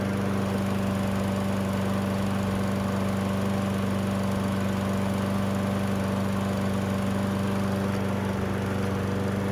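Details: Toro Recycler 20377 self-propelled front-wheel-drive mower, started after carburetor cleaning with the air filter reinstalled and oil topped off: single-cylinder engine holds an even, steady drone with no stumbling or surging, running normally.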